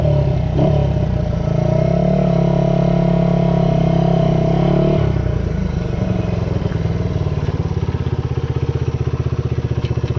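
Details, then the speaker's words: Restored 1978 Honda XR75, last run around 1989, after a misset adjustment was corrected per the manual: the small single revs cleanly, then drops to an even, steady popping idle with no stumble or clatter; normal running. "I drove it that way for years but luckily I checked the book made the adjustment and now we're up and running so here we are just in time for the fourth I finally get to ride this thing"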